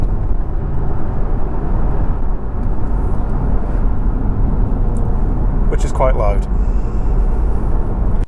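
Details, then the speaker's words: Jaguar XKR with a rebuilt V8 and sports cats under full throttle: a deep, heavy roar builds and holds, far louder than normal. The exhaust valves open at 3000–3500 rpm into the unsilenced outer tailpipes and drone obnoxiously. "while everyone likes a good v8 engine noise that noise is pretty obnoxious and it's not actually nice either"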